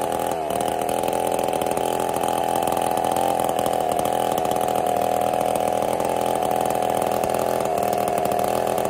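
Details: Ported Husqvarna 55 chainsaw: steady flat high buzz never reaching full revs; lost over 1,000 RPM within about half a tank, new coil didn't help, couldn't finish two cookies; down on power.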